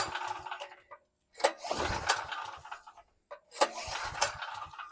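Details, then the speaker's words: Free 2018 Briggs & Stratton 5750 W generator (model 030708-00), 389 cc engine with 12 V battery starter assist: two recoil pulls with a ratcheting whir, never catching though it seems to want to start; carb cleaning planned. "okay sounds like it wants wants to start usually with this kind of big engine it says it's a 389 CC you'll have a 12 volt battery assist with the starter"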